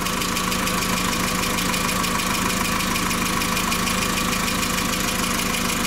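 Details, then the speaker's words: VW petrol engine idling after spark plug change and sensor cleaning, fuel pressure being monitored (owner reports power loss and stalling): fast light ticking over the hum, disliked noise from hydraulic lifters. "viene ese ruido es el que no me gusta ese ruido de buzos"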